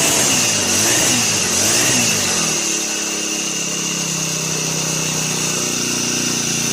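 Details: Brand-new Turbotech SD T35 4S four-stroke brush cutter that would not start; after replacing shorted ignition coil it revs high in a buzzing wail for two seconds, then drops to steady even idle, no misfire.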